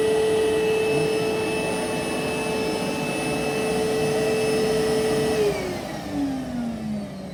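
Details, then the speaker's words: Electrolux Quiet Clean central vac main unit heard downstairs beside it: steady even motor whine holds pitch, then winds smoothly down when switched off; motor healthy. "Okay, here we are back downstairs at the main unit, and I'm going to run the system so you can actually hear it as if I'm vacuuming somewhere else and it's down here by itself running."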